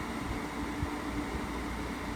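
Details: Frigidaire 8000 BTU R22 window air conditioner from about 2008–2009, running with compressor on after fixing its shaking; worn compressor mountings are the cause named for old units shaking: steady even fan rush over faint low compressor hum, no shaking or rattle, about 67 dB.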